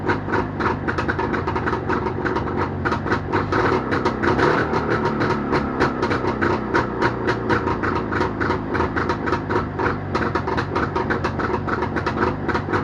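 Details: Jawa motorcycle two-stroke engine started after repair, Novy Urengoy. Fast, even popping holds a steady rhythm throughout with no misfires or stumbles; running healthy.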